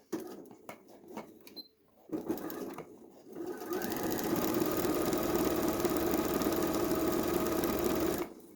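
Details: Janome 2030QDC computerized sewing machine after servicing with spray lubricant and grease: steady, even mechanical hum with soft quick stitch rhythm, no knocks or grinding; runs perfectly smooth, big difference from before.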